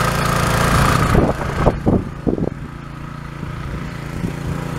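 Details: Pressure washer small engine on its first start attempt after repair; the previous pump had seized from running without water. Some knocks at first, then a steady, slightly uneven running note: normal running.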